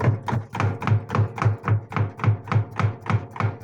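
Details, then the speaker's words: Washing machine during spin: steady dull knocks three or four a second from a loose front counterweight, shaking the tub and making the machine walk; its bolts can loosen. "bu gevşek olduğunda arkadaşlar bakın tak tak tak tak tak tak tak ses yapacak şu şekilde"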